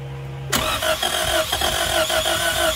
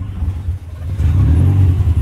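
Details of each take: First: 1999 Honda Civic DX (EK) just after a new timing belt and tensioner. Once cranked, it catches, then runs unevenly with a wavering, stumbling beat, barely staying alive. The rough idle is attributed to a bad idle air control valve (IAC). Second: Honda Civic (EK) after a timing belt and tensioner replacement. Short deep rumble swells cleanly as revs climb, with no knocking or slapping: normal revving, engine not damaged.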